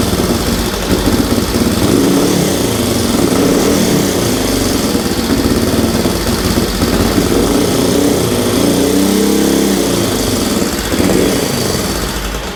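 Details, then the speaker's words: 1965 Honda CL77 305 Scrambler twin, restored, first start in several years after fogging oil: barks cleanly on throttle blips and drops back to a smooth idle each time, no rattles; normal running, sounds good. "that's awesome sounds good let that sucker cool off"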